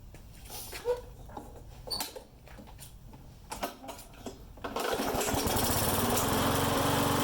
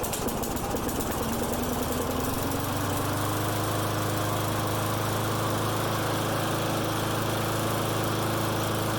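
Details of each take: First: Mower engine that started then died, after carb work and replacing bad fuel with fresh gas; after some clicks it catches and holds a steady even drone without surging or sputtering, runs fine. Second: Friend's lawn mower that starts and dies, running with air filter on; hunts and settles at rough uneven speed with loose thrumming beat, runs better but a remaining vacuum/air leak is suspected.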